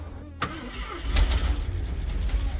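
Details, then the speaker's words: 1974 AMC Javelin started after sitting about 20 years; starter whirrs briefly, then it catches and settles into a low, steady idle without knocks or misses, normal engine start. "that don't sound bad at all for 20 years sit no it's fine"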